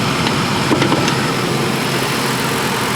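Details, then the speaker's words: 2007 Ford F-150 Lariat 5.4L Triton V8 at idle, hood open: steady, even idle with no rattle or tick. The VCT cam phaser rattle appears only at 800–1,200 rpm. "so hi Evelyn you don't hear the VCT face or rattle okay we got that narrowed down"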